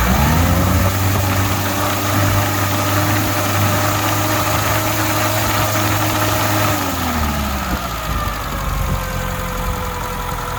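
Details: 1984 Holden Drover idling with a new distributor cap, new plugs and old leads: loud, uneven loping miss at idle that didn't go away; cause still unknown, leads then coil pack to be replaced next.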